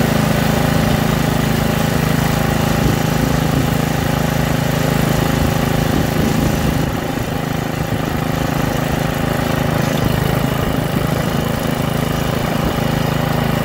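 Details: Troy-Bilt rear-tine rototiller, single-cylinder engine, after carburetor cleaning and magneto cleaning restored lost spark and carb adjustment: loud, steady chug with an even beat and no misses or surging; runs smoothly.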